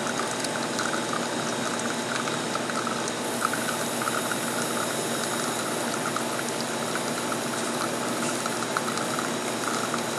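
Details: La Cimbali 220 V espresso machine brewing a shot: steady pump drone under an even hiss of water flow, no surging or rattle; normal brewing.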